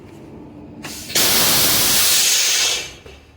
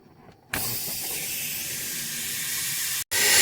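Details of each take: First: Freightliner truck after the leaking brake chamber was replaced with a new one, brakes released: one sharp hiss of about 1.5 seconds, then quiet with no leak at the quick release valve; normal parking brake exhaust. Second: Freightliner truck losing air while driving, even after its quick release valve was replaced: silence, then a sharp continuous hiss from that valve once the parking brake is released; leak suspected from a failed brake chamber.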